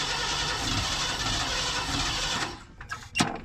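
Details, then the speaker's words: 1990 Ford F600 carbureted box truck, spark restored, plenty of fuel: steady starter churn about two and a half seconds with no firing; carburetor suspected, battery draining from repeated cranking. "something is not happy with this carburetor we end up killing our battery so close to wan to bust off just ain't going to do it"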